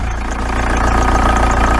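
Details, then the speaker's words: Volkswagen T3/T25 TDI camper at idle after a new exhaust was fitted: steady, even low rumble with no knocks, rattles or blowing; the flexi pipe absorbs engine vibration. Normal idle. "what's nice to see is that the flexi is actually absorbing the vibrations from the engine lovely there"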